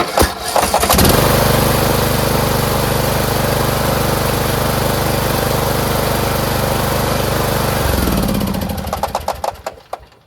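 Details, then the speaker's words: Craftsman MTD T1600 lawn tractor: labored, hesitating cranking on the compression stroke before it catches, then a steady idle; owner suspects a broken automatic compression release (ACR), later replaced along with the camshaft. "Engine runs great, sounds great. It's just the beginning starting area. It didn't really want to go. Kind of like hesitated on the compression stroke."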